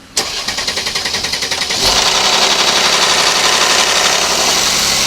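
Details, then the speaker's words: Mercedes M276 engine cold start: delayed crank, then loud metallic clatter for first 3-5 seconds from damaged timing chain cam adjuster sprocket; codes also show intake camshaft position deviation and implausible cam-crank correlation, suggesting shifted camshaft signal wheel. "凉车着车延时，而且凉车着车的前3到5秒有咔啦咔啦链轮的异响，像这种肯定是链轮损坏的表现。"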